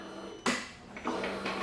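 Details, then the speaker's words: Motorcycle won't start on key-turn: three sharp single clicks about half a second apart with no cranking; the screen still lights and the fuse is intact, so the battery is low, drained by accessories connected to the bike. Starter clicking from low battery. "I just get a clicky noise so I'm like racking my brain I'm like well I know my starter really fuse is not pop because obviously the screen's on so the only thing I can think of is it's low battery"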